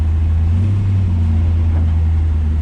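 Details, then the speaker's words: 1966 Chevy El Camino with LS V8 swap, cold first start: deep rumble holding raised idle with slight surge; owner blames the hanging idle air control valve, only happens at first start each day. "It just does that when you first start it up, and then doesn't do it the rest of the day, pretty much."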